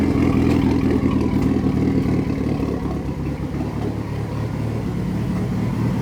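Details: Fully built Mitsubishi Evo 9 engine during break-in: firm steady idle with slight lope, no knocking or ticking; engine sounds healthy.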